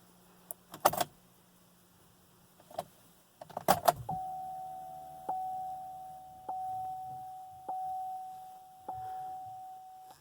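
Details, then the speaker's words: 2014 Chevy Cruze diesel, key on without starting after a fuel filter change; faint steady mid-pitched hum for several seconds each key cycle as the lift pump fills the filter housing, repeated about 10 times. Normal lift pump priming. "could almost hear the lift pump after you turn the key on. It's a slight hum. So as soon as that stops, then you turn the key off and just do it again."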